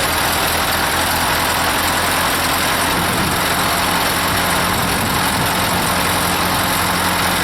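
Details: Ford 8N tractor, first start after long sitting (battery fitted, carb cleaner sprayed): steady, even idle with a low throbbing beat under heavy hiss, no misses or knocks; hiss may be a leaking tire valve stem.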